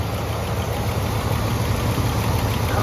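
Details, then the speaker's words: Boat-tail Buick Riviera showing about 5,000 miles on the odometer, likely rolled over, after oil was pushed through: even, settled idle with only a faint light tick; the valvetrain has quieted and sounds healthy. "transmission fluid sounds like it's running pretty fine steers nice and easy I love it"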